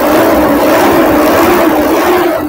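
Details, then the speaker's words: Diesel common-rail engine at idle after injector, SCV and pump cleaning: knocking heard at the earlier start is now gone, leaving a steady, even drone with no ticking; sounds good, normal idle. "Kanina yung start natin, medyo may knocking, no? Ngayon nawala yung knocking. Yan, ang ganda ng tunog, oh."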